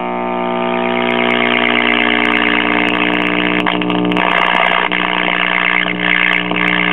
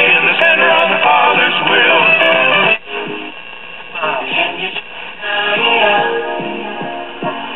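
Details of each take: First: 1964 Philco AM vacuum-tube clock radio after about 30 seconds of warm-up: loud, steady hum under faint station audio from dried-out original electrolytic filter capacitors in the power supply, fixed by replacing them. Filter capacitor hum. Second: 1964 Philco AM tube clock radio after replacing power-supply electrolytic capacitors and the across-the-line capacitor: station plays clean through the small speaker with no mains hum under the audio. Normal radio audio.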